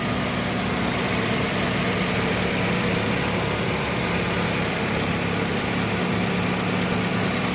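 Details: Toyota Yaris at smooth, even idle with a steady hum and no stumble or misses.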